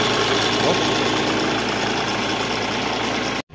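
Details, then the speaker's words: Mahindra Scorpio SZ 2.6 8v diesel after radiator and cooler repair, idling: steady usual clatter with a faint high whine on top from a noisy alternator, still unrepaired. "só o alternador tá com esse barulhinho mas o cliente vai resolver isso"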